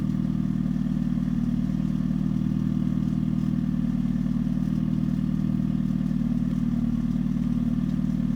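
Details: 2013 Hyundai Genesis Coupe 2.0 automatic; steady low idle with fast even rattle about three per second, owner suspects engine, engine mounts, or low-hanging exhaust, source unknown.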